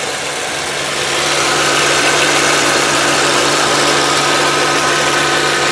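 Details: 2003 VW Passat five-speed manual with the 1.8 turbo four-cylinder, idling on a warm day. Steady, even idle with a smooth hum and no knocks, misses or rattles; the engine sounds healthy.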